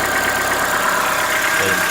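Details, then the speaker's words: 2014-15 Chevrolet Onix 1.4 on gasoline, cold start, windy outdoors: light rapid ticking over steady idle; owner suspects lifter tapping inside engine, not injectors, present since new, lasting about 10 minutes and worsening yearly; dealer calls it normal. "Barulho característico para mim, motor de diesel. Vamos lá. Logo após a partida, começa a fazer o barulho."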